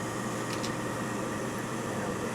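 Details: Furnace (upflow type) with new filters installed, firing on a call for heat after the exhaust fan starts: smooth, steady rush of air with no rattle or wobble; the blower runs evenly and normally.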